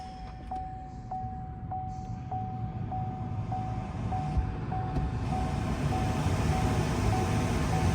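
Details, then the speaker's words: C7 Corvette Z06 cabin blower motor running normally after cabin filter replacement, ignition on with the engine not started: steady, even fan rush with no out-of-balance vibration, and a warning chime overhead. "hear the blower running we don't hear vibrations about halfway and you would know because it's kind of like you can hear the vibration if you've ever had a uh out of balance blower motor so this one is good"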